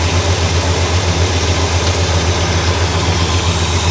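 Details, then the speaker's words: 1965 Cadillac V8 after a fuel-related breakdown repair, with the idle screw backed off because it was too high and dieseling at shutoff: a deep, even burble at a steady low idle with no hunting or misses. Sounds happy. "Maybe just a hair more. She sounds pretty happy right there."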